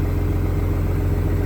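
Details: Diesel truck after sitting 11 years, cleared up: steady even low idle with regular firing beat, no knocks or misses; airing up, airbags rising, some air leaks noted.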